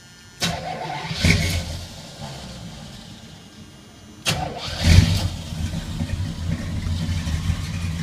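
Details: 1981 Chevy K10 with a rebuilt V8 of about 5,000 miles, started after replacing a leaking fuel pump. Brief crank, fires and settles into a steady, even idle; starts and runs normally.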